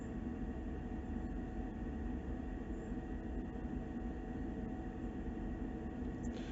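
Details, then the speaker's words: Eberspacher D2 diesel heater in a Land Rover Defender 110, damp morning, shortly after start-up with slight clearing smoke: steady, even low roar of fan at full speed, no knocks or surges; normal running. "Otherwise it will just tick over and keep the place warm."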